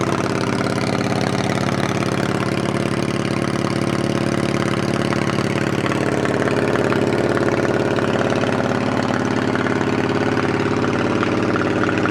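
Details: 2008 Yamaha V-Star 650 carbureted V-twin, spring 2014 first start after winter storage with fresh gas and carb cleaner, on choke without throttle: even, loping cold idle about three and a half pulses a second, no knocks or misses; normal.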